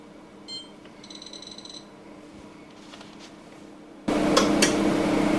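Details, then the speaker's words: Hotpoint SI4 854 C IX electric oven with circuit-board control; two faint sharp relay clicks after short beeps switching base and grill elements, then fan and 2800 W element load run steadily: normal relay switching. "two clicks we're now drawing 2800 wats of power so we know the relays are working correctly for the base element and the grill element"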